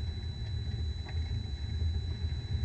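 Deep steady rumble while driving, lingering low with a faint constant whine above; fits a worn bearing, location unknown.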